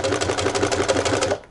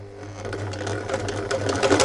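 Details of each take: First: Sewing machine, after the thread take-up lever has run to its top position with the tension discs slackened, then the presser foot is lowered: it starts easily without help from the hand and stitches at a quick, even rhythm with no motor hum or straining. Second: Sewing machine motor hums low and strains on starting, dragging before stitching picks up speed, when the presser foot is lowered with thread still clamped between the tension regulator discs; starts easily once the thread is pulled with the discs loosened.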